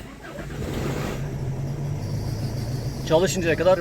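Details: 2006 Tata Indigo diesel started via newly fitted keyless start-stop button (car described as slow to start): engine catches and settles into an even, steady low hum, no knocks or misses; clean start, healthy idle.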